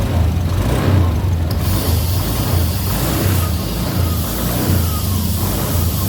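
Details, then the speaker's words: Honda Beat Deluxe scooter after CVT block bearing replacement: even smooth drone with steady low beat, no grinding or rattle; CVT no longer noisy. "Okay, and it worked. It's no longer noisy for the CVT."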